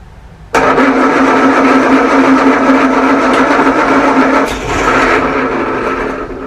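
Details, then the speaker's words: 1937 Morris 8, 918cc pre-war engine being recommissioned, carburettor resealed, battery charged: starter churns unevenly but engine never fires; owner thinks diesel put down the bores oiled up the plugs; cranking no start. "i think the problem before was because i put diesel down the bores it was oiling the plugs up"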